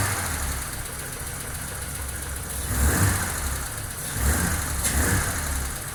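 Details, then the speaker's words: 1988 BMW engine revved twice and settling back to idle: swelling revs with a light rattly ticking clatter riding on them; cause unclear; noise when revving. "Ça fait du bruit par contre, hein. Il cliquette. Un joli bruit ce moteur."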